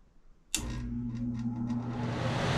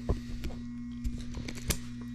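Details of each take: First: Furnace blower starting after replacing the blower motor capacitor (previously hummed with no airflow, no heat); motor clicks on and spools up smoothly into a steady rush of air with no hum, blower running normally. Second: Furnace blower motor, thermostat calling for heat but no airflow from the vents, before the panel is removed: steady low electrical hum with no fan whoosh; motor stalled by a failed run capacitor.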